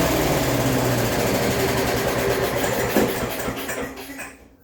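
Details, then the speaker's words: Rover engine after start/stop fix: fast busy buzz higher than normal idle, then dies away; owner thinks revs are probably too high, cause not yet found. "But as you can hear, probably the revs are way too high."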